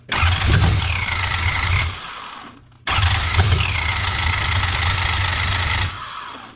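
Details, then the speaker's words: Nissan 240SX S13 with a 1UZ V8 swap (third engine): two cranking bursts with the starter whirring and the engine coughing unevenly but never catching. Fuel starvation suspected; the fuel level is unknown and the fuel pump or regulator may be faulty. "But the way it's sputtering, it's like there's no fuel."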